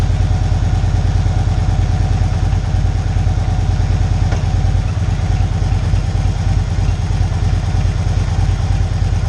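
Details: Victory Cross Country 106 motorcycle with a hard-downshifting complaint, started after reassembly and warming up while stationary: even, loping V-twin idle at about three beats a second with no tapping or clatter; idles normally.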